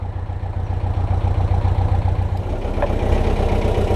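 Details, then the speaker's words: BMC 1.5 diesel narrowboat engine, hard starting despite 60-second glow plug priming, just started and held at raised revs: noisy clatter with an occasional miss, cause not yet known. "So I've got her on some revs there, and you can hear she just misses a bit. She's a bit noisy, but I'm going to switch the prop on now and see what we're like."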